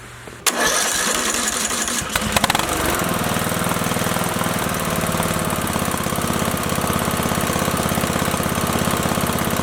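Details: Briggs & Stratton 19.5 OHV engine just after head gasket replacement, oil at low end of dipstick: starter churns, engine catches after a couple of seconds and settles into steady chugging run; owner still suspects possible bad camshaft, expects smoke from spilled oil.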